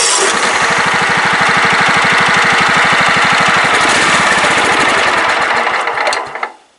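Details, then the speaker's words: Craftsman LT 1000 riding mower after adding fuel: rapid uneven firing pulses about three per second, catches briefly then fades and cuts out; owner suspects a wiring fault. "Something's happening with the wiring. Come on, stay alive. What the hell is going on?"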